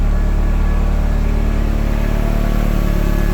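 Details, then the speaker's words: Turbo Toyota MR2 just started about 10 minutes ago, idling 1000 rpm; smooth steady low idle with even pulses, no misfire or ticking; normal idle. "Just sitting here idling 1,000 RPM."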